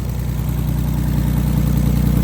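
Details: Audi A4 B6 3.0L with straight-pipe exhaust, idling after ECU immobilizer bypass (alarm and hazards still active from the cluster immobilizer): loud, deep, steady exhaust rumble with an even pulse, no misses or knocks; normal idle.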